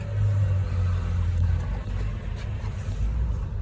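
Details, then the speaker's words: Old Ford F250 4x4 inline-six ex-boat hauler, just started, power steering belt flipping, fluids possibly low: deep even low rumble with steady beat, no knocks or ticks; idling smoothly, sounding pretty good. "she's sounding pretty good Mo are you impressed sounds like a like a violent little the a in there"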